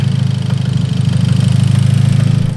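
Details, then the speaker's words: Hyundai Genesis Coupe engine at idle: fast, hard, evenly spaced metallic knock locked to engine speed, worse than the day before. Screwdriver on the valve cover suggests top end; earlier thought bottom end; bearing knock suspected, unconfirmed; rebuild or swap planned. "it's way worse today than it was yesterday. Whoa. Yeah, definitely sounds like it's nailing the screwdriver. So maybe it is top end."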